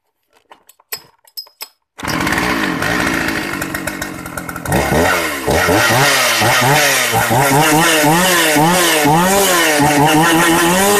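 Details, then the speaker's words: Shindaiwa 757 chainsaw, used, said to cut much stronger than a 365 and on par with a 381; after handling clicks it fires and revs strongly, pitch rising and falling cleanly without misfire; normal running. "Máy cắt rất là lực, mạnh hơn 365 rất là nhiều. Cái này nó tầm nó ngang ngửa với lại 381 mọi người nhé."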